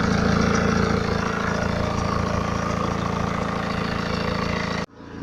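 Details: 2011 BMW 318d, N47 diesel, 178k mileage, fresh oil and belt change, cold engine revving, phone recording: busy, even clatter over the engine note, possible rattle; owner asks if it is the timing chain, cause uncertain.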